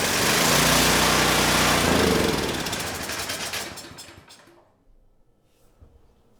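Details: Discarded 7000 W Champion generator (model 41532, built July 2013), choke on, light load plugged in, just after a hard start: it runs with a rapid steady chatter for a few seconds, then sags and dies out, possibly a fuel issue. Stalls after starting.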